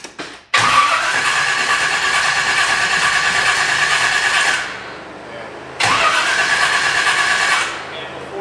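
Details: 1985 Pontiac Firebird Trans Am carbureted engine, running very rich, before tune-up with new plugs and fuel filter; two long cranking spells, about four then two seconds, starter whirring steadily but engine never fires; hard start.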